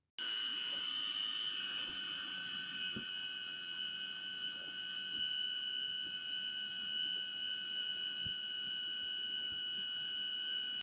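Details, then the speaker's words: RV automatic leveling system, Retract All pressed at the control unit: steady, high-pitched motor whine for about ten seconds with no stalls or surges as the jacks retract, back first then front; retraction normal. "మీరు retract all నొక్కగానే అన్ని లోపలికి వెళ్ళడం start అవుతుంది."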